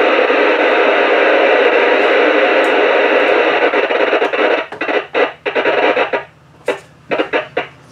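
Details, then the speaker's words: Radio near a Raspberry Pi's switching power supply with four ferrite beads on the power cord: remaining hiss breaks into gaps and bursts, noise appearing whenever the Pi does work rather than idles. "that little bit of noise comes whenever the pie actually attempts to do something as opposed to just sit there"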